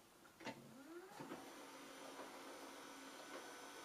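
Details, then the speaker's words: Free Panasonic VHS player, no tape inside, powered on: small motor whirs and clicks through gear shifts then faint steady hum; mechanism cycles but stops itself and shows error F04. "so it looks like it's trying to do something right now and it stops itself and says f o four"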